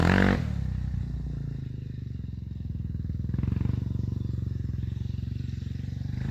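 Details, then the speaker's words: Warrior 350 quad after valve adjustment (exhaust about 0.18, intake about 0.08) and refitting a missing intake adjuster bolt that had caused head ticking: steady, even single-cylinder thump while ridden, with no ticking; engine sounds healthy. "uh that sounds a lot better all right so we're going to take this thing out for a little rip show you that everything's all good now"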